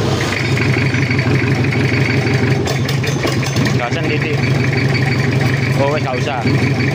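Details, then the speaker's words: Toyota Kijang diesel after engine work on a cracked block with a weld-blocked oil passage: catches quickly and settles into a steady low idle clatter with no knocks or misses; oil pressure 4 bar, oil circulating, not yet warm. "usah Alhamdulillah udah hidup Lur langsung hidup kita lihat tekanan oli dulu ada di angka 4 bar dan olinya sudah sirkulasi"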